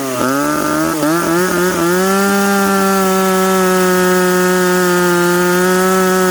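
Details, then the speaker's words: McCulloch Pro Mac 850 chainsaw with a home-built expansion pipe (no damper), cutting with fuel richened slightly after a 10,300 rpm cut. Quick blips, then a steady high scream holding clean revs through the cut. Normal cutting under load; pipe judged a success. "but you know what friends it works i'm gonna say this pipe is a success with no dampering in it"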